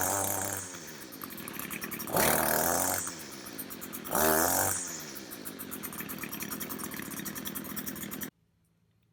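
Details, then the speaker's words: String trimmer (weed eater) two-stroke revs in short bursts then sags and stumbles instead of holding speed; bogging down under throttle, cause not yet found. "you could probably hear it was bogging down a bit"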